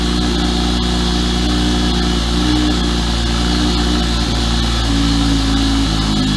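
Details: Single-turbo BMW 335i first start after three months stored in Canadian winter, in neutral: catches with slight early unevenness, then settles into a steady, even idle; healthy.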